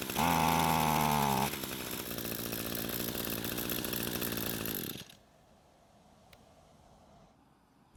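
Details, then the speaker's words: Echo string trimmer long unused and possibly stored outdoors, running at half choke, which didn't help: the two-stroke buzzes at high revs, sags to a rough, uneven run, then cuts out; lean stall. "so what you just saw me do was to move the choke to halfway in an attempt to see if more fuel and less air would help it out but it didn't"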